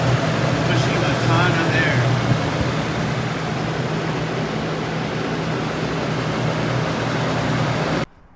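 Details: Toyota viscous fan clutch modified by adding Toyota 10,000 cSt silicone fluid, at idle: a heavy, steady rush of air over the engine as the fan engages fully and pulls hard. The stock clutch barely moves air.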